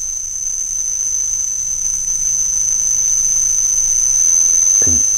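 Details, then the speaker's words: Castle Creations Cobra 10A ESC bench test driving an outrunner motor at low throttle: loud steady high-pitched whine over a faint hiss for a moment before switching out of startup mode; normal startup switching noise, louder with outrunners. "it gets really loud for a second and then boom you you heard it kick in to the non startup"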